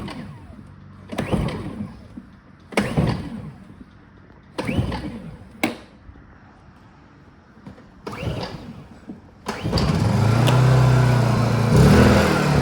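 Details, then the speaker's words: Brand-new Honda EU2200iTAN1 Companion 30A inverter generator on its first start, freshly filled with 10W-30 oil and gas, fuel on and choke set: several sharp pull-cord tugs, then it catches into a smooth, even run with no misses. "We're gonna fire it up for the first time."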